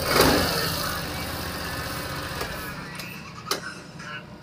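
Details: Suzuki Burgman scooter after ISC valve diagnosis (valve had been locking from dirt): quick crank and catch, then light steady idle that holds without stalling; normal start and idle.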